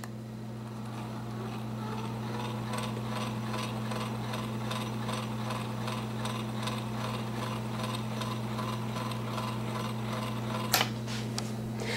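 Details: Edison Amberola 1A mechanism in a reproduction Opera case, wind-up phonograph: brake released after winding, both wide main springs unwind with an even, quiet whirr and steady gear ticking, no thumping. Thumping would indicate old dried grease in the barrels.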